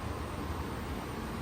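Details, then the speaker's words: Home furnace blower running before power is shut off at the breaker panel for a filter change: steady, even rush of air over a soft low rumble, with no knocks, rattles or squeals; operating normally. "There she blows. Quite the unit."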